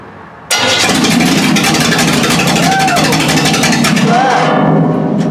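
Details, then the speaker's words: 350 engine with Holley carburetor; owner suspected a plugged fuel filter and found the fuel pump rod stuck; float bowls filled by hand: engine catches abruptly, runs rough, stumbles and surges as if fuel-starved; fuel pump not pumping. "okay so I don't know if you can see me or not but we're not pumping fuel right here so there is a problem with the fuel pump"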